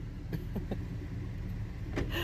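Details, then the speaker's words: Car after cleaning brake calipers and pads with brake parts cleaner: low engine rumble at slow reverse with a few light clicks and no brake squeal when braking; squeal gone. "شفتوا كيف اختفى الصوت"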